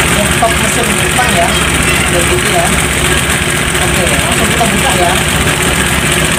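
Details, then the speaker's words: Scooter running hot with the cylinder head still on: a busy, uneven tek-tek-tek clatter over the idle from the top end, consistent with a loose cam chain and worn timing gear; timing chain rattle, head to be opened for cam chain replacement. "Nah, ini ya motornya agak kasar, Guys, ya. Coba ya saya hidupkan. Oke, bisa lihat sendiri ini tek tek tek itu ya."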